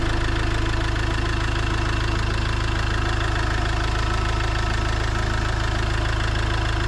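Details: Iveco Daily van diesel around its engine oil, oil filter and diesel filter change: steady even diesel clatter at idle, about 200 firing pulses a minute, no misses or knocks; normal diesel idle.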